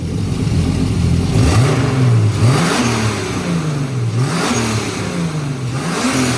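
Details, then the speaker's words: 1990 BMW 318i E30 touring with turbo S52, revving after a fuel pump swap and freeing the stuck number 3 injector. Repeated blips rise and fall cleanly with an even pulse on all six cylinders, no stumble or miss. "can't tell if we're running on six or five that was just five number three was sticking really hard but we got it now"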